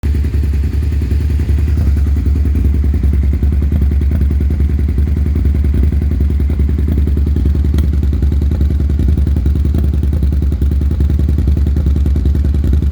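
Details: 2001 Suzuki SV650 V-twin at idle: uneven lumpy idle with irregular stumbles and missed beats; rough idle with misfires.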